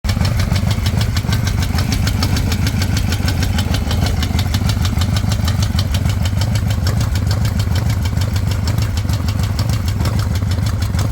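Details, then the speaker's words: 2005 Harley-Davidson Night Train V-twin, over 350,000 km on the original bottom end, after weeks of growing front footpeg vibration: lumpy idle with even ticking rattle about three a second; likely a loose compensator nut rather than rod knock, with metal chunks present. "uh maybe that uh rattling ticking sound is actually not coming from the bottom end of the engine but in fact loose compensator nut"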